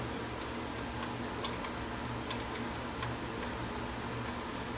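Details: JVC HR-S7600 VCR with failing dynamic drum gears: sharp, light ticks about twice a second over a steady low motor hum, heard after switching tape speed, with alignment thrown off.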